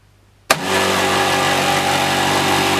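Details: Jura Z5 coffee machine: motor starts abruptly into a loud, harsh, steady rattle over a humming drone; loud rattling noise, repaired.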